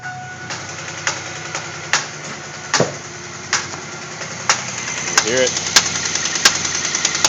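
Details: 2000 Grand Prix cranked with the number six plug wire connected: once it fires, a sharp, uneven ticking about one or two a second over the idle; valvetrain tick later traced to a loose rocker arm.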